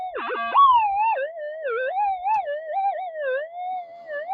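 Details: Modified, boosted Minelab metal detector at test site, manual tune 220, normal timings deep, heavy cloud and lightning around: wavering, sliding tone wanders with no target present; interference noise, owner thinks it may be picking up lightning, unconfirmed.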